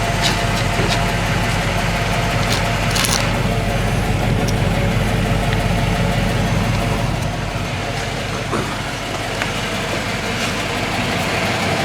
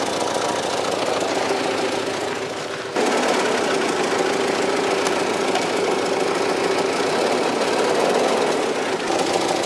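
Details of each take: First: 1995 Cadillac Fleetwood with new mufflers fitted, at cold-start idle: a steady, even, low muted rumble with only a slight lisp, much better than the old exhaust. Normal idle. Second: 1995 Cadillac Fleetwood before new mufflers, January 2014, after sitting parked with flat tires, oil and coolant leaks: loud, raspy, flat roar at idle with rough pulsing edge, far too open; exhaust leaking under the car from worn-out mufflers.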